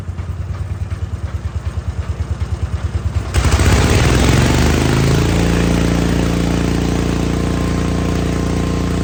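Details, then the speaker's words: Wheel Horse C-120 single-cylinder engine after fuel was drawn up and the filter refitted. Slow, even cranking pulses for about three seconds, then it fires and settles into a smooth, steady run; normal running. "Lovely sounding engine. Okay, so well, it runs."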